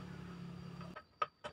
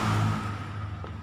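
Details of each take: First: Honda Supra 125 after refitting the reversed starter magnets correctly: a few clicks, then the starter spins, engages and the engine catches and revs; starter now engaging properly, repair fixed. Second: Honda Supra 125 electric starter motor spinning in the wrong direction because the magnets in the housing were fitted reversed: brief electric whir winding down with no cranking thump, starter spins free without engaging the engine.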